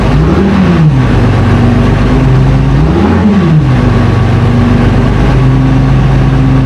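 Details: FV432 troop carrier diesel, long-sitting, being revived and running on real diesel: deep, steady note rises and falls smoothly through two rev blips and returns to an even idle; normal running and revving.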